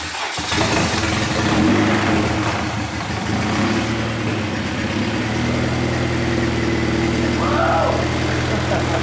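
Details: Honda K20A2 engine's first start-up after build and wiring work; catches at once and settles into a smooth even idle, steady low hum, no knocks or misses.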